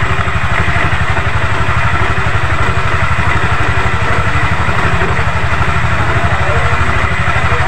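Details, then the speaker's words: Yamaha NMAX scooter idling after replacing the CVT drive belt, roller housing and roller fan, which had worn and let the belt go slack; smooth, even thrum, the earlier heavy rattling and clatter from the belt drive gone, belt now tight; normal idle. "Oke rekan-rekan, ini untuk suara geladak-geladak, kelotok-kelotoknya sudah hilang ya, sudah bersih untuk suara di mesin Yamaha NMAX ini."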